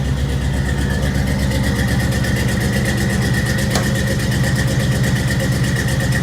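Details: 1983 K20 truck with a cammed 305 V8 and carburetor, cold idle on choke after a suspected carb vacuum leak was fixed: loud, lumpy but steady idle with an even lope about twice a second, no misses or knocks. Healthy.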